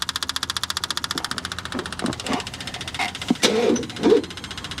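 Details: 1979 GMC Caballero cranking while not pulling fuel, with fuel possibly dumped down the intake and owner fearing hydrolock: steady chugging at about two beats a second turning ragged and clattery, no start; spark plugs were later removed to clear it.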